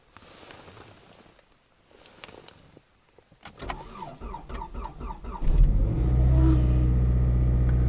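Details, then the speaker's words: Toyota RAV4 cold start at about −24 to −29 °C on Sintec Premium 0W-30 oil, brake pressed: brief cranking, catches within about two seconds on first try and settles to steady even idle; healthy cold start. "Вот вам и Синтек нулевка. Работает."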